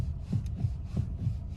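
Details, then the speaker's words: Car with engine running, steering wheel rocked back and forth by hand from the driver's seat: dull, low thuds about three a second. Steering rack knock, not the steering shaft joint. "и стучит рейка. Вот именно такими движениями вы можете понять, что стучит конкретно рейка."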